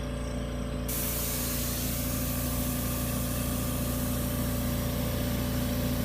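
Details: AMC 20 unit after cutout pressure adjustment, during 15-press syringe cycle test with one vacuum pulled: steady low compressor hum with a rush of air joining after a second, no popping; normal compressor cycling.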